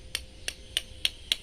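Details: Cheap cordless drill battery pack sold as 48 V but not meeting spec: six sharp, light taps about four a second sound thin and hollow with no solid thud, revealing underfilled cheap cells.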